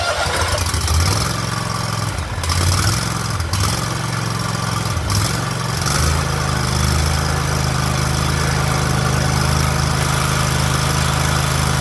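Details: Big mower engine after carburetor replacement: catches after a few rough seconds, then settles into a steady even low rumble with no stumbling; normal running.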